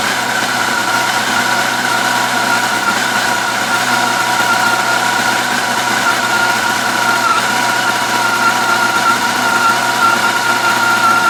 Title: 2004 FJR1300 - Ticking noise